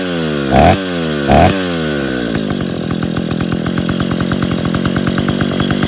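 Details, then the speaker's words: Freshly rebuilt Stihl 070 chainsaw (crankcase reassembled, excess axial play removed, new seal; drum and sprocket fitted, no cover or bar, choke and clutch still to fix) takes two sharp pulls, then settles into a crisp, even two-stroke buzz without misfire: normal running. "senhores, pegou, funcionou. Claro que está faltando alguns detalhes, consertar o afogador e a embreagem, colocar a cobertura, um sabre e colocar para trabalhar, testar ela."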